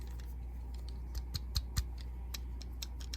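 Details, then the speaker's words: iPhone 7 after battery replacement, reassembled: a few faint light ticks and clicks as a small loose part rattles inside when handled, suspected to rattle whenever the haptic unit operates; cause not confirmed. "So every time that haptic, whatever that thing is, makes noise, it's going to rattle now."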